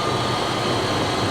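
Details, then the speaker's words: Toyota FJ Cruiser idling: a steady hiss and whir with a dry bearing rumble from the belt drive. This is idler pulley noise. "let me shut it off so that that's the noise of the idlers very simple diagnosis"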